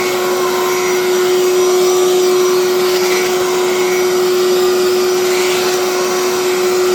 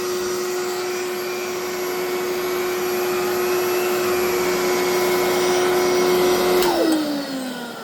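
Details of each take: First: Electrolux 2100 canister vacuum, power nozzle running on the hose: steady, even motor hum with a constant mid-pitched tone and no rattles or surging; power nozzle runs normally, though the main vacuum motor sounds poor. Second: Electrolux 2100 vacuum with the power nozzle fitted: the nozzle sounds fine, but the motor gives a loud, steady, rough, gritty whine before winding down. Owner is unsure whether the motor needs work or is a louder replacement.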